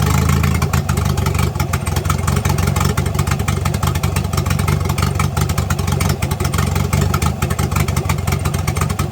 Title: No more exhaust leak